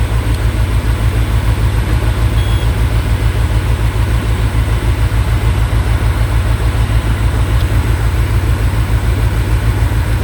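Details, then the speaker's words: Peugeot 807 with check-engine light: deep, lumpy idle with a chuffing beat that keeps stumbling; scanner shows a cylinder 1 injection misfire, most likely a dead injector, possibly the spark plug. "Nah, ini ada kemungkinan ini antara dua kemungkinan antara injektor atau busi mati tapi kemungkinan yang terbesar sih injektornya mati."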